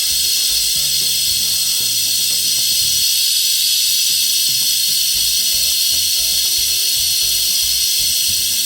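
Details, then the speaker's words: Volvo truck rear air suspension leveling (height control) valve, engine off: steady hiss of air venting that never stops; the valve keeps dumping air instead of shutting off once level. "That's the old dump well. It's just a little bubbles here. It's not big deal at all to dump that much air. So I just keep dumping."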